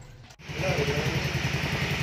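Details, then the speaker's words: Yamaha Mio Sporty reassembled after fixing a heavy oil leak, with an oil change and a hose fitted to the breather: even, steady putter at a settled idle, about seven or eight pulses a second, no knocks or rattles. Now runs quiet and healthy. "Ayan mga boss, maandar na siya ngayon. Ayan, tahimik na."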